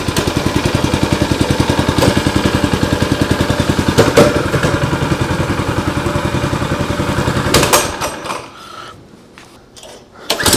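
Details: New Predator 212cc engine on a Coleman 200 mini bike, first run after install on choke: quick, even popping single-cylinder beat, running steadily; sounds healthy.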